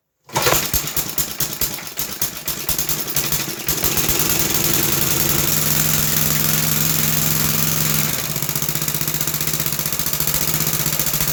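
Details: 1960s English-made Suffolk single-cylinder engine, about 66 years old, after a carburettor clean and new plug wire, started on choke with high compression: fires after a few slow pulls and settles into a steady, even beat with no knocks or misses.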